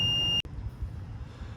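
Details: Motorhome with its engine running during an engine-compartment AC recharge: a steady shrill beep lasting under half a second, then cutting off over a low engine rumble. It is the leveling-jacks-still-down warning.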